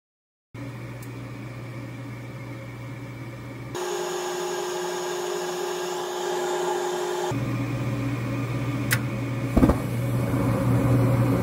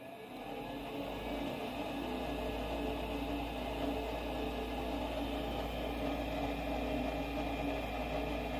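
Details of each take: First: Goodman furnace showing error E2, cycling on the high limit after about a minute, igniter failed: steady blower hum with strained, rushing air rising in steps, airflow choked by a badly plugged filter. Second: Goodman 40,000 BTU furnace after pressure switch replacement for E2 code (switch not closing, tubing checked OK): steady, even inducer whir with constant hum, no rattle, surging or scraping; switch now closes.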